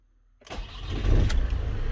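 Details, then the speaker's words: Diesel van with an intermittent no-start (needed about three key turns) starts first time after a new part is fitted and its earth and fuse-box wires are reconnected: a brief crank, an immediate catch, then a steady clattering idle. Normal start. "There we go. Done. Boom. Van is now starting again."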